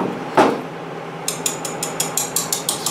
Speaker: you listen you can hear it making that clicking noise so what you want this magnet to this amount right to do this needs to be solid so you'll slowly bring up the sponge list tell you just until you hear the clicking stop